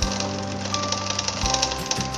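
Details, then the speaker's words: Road bike front derailleur: fast light metallic rattle as the chain rubs the derailleur cage plate on smallest chainring and smallest sprocket; normal on bikes with trim, and trimming the derailleur opens a gap and removes the noise. "세인하지 플레이트가 만나서 따르륵 하는 소을 발생하고 있습니다 이거는 트리밍이 있는 자전거는이 정상적인 겁니다"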